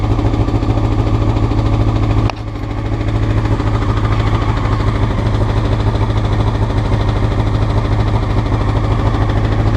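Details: Honda CBR motorcycle, clip from before the float needles were changed: low, pulsing idle, uneven beat lifting after start-up and never smoothing; rough idle, cause suspected, not confirmed.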